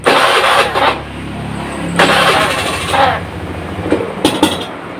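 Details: Serviced Honda Beat FI scooter (new pump filter, plug, coil, cleaned throttle body, reset): revs stumble and stutter with uneven popping on throttle opening, brebet/ngempos, less when hot; attributed to low fuel pump pressure.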